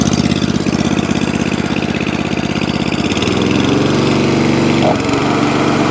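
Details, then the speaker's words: Atco Balmoral 20-inch mower, Tecumseh engine, after carburetor clean and mixture-screw tuning; putters evenly then settles smoother and slightly higher under drive, running cleanly and steadily with no fuel leaks; repaired and healthy. "so it starts runs drives cuts and stops and even now no fuel leaks one echo barrel moral saved spares or repair back up and running in the mixed mower shack"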